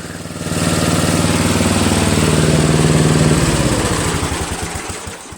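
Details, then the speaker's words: Toro Wheel Horse 825 riding mower, Briggs 8HP, after new battery, carburetor replacement and throttle linkage fix: engine picks up to steady even putter then winds down smoothly, no misfire or knock, no smoke; works fine. "Doesn't smoke or anything, works just fine."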